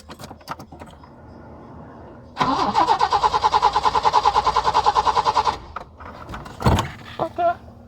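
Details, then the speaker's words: Peugeot 505 V6 manual, first crank after about 2–3 months parked: the starter spins steadily for about three seconds but the engine never fires; crank, no start. The owner suspects the long parking; the cause is unconfirmed. "I guess probably because I parked the car for too long so um that could be the reason why it's not cranking"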